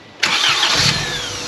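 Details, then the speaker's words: 1995 Honda Civic with B18 swap, after new starter and ignition fuse: brief crank, catches cleanly into smooth even idle; normal engine start. "up we're back we are back and it sounds good"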